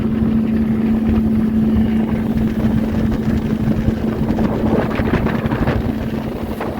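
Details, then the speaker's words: Boat outboard, first lake test after sitting about 3 years: steady, even motor drone holding its pitch under gusting wind, no misses or knocks; outboard running fine at this point. "Well, ladies and gentlemen, let's say she floats and she's running. I call this a success so far."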